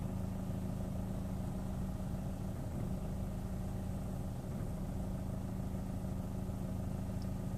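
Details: Chevrolet Orlando at idle, air conditioning off, clutch not pressed, start-stop engaged: low drone swells and sags unevenly every second or so, tachometer needle moving with each surge; rough surging idle.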